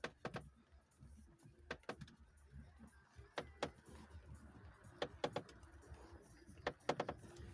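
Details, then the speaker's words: Lada Priora, front right strut area: sharp, irregular crunches and creaks in small clusters every couple of seconds when turning the wheel right, began after hitting a rut; strut and top mount inspected and look fine, cause unknown. "ешь эта сума сойти какой хруст идет такую погоду когда вот бы сейчас идет моросит она видать смазалось меньше"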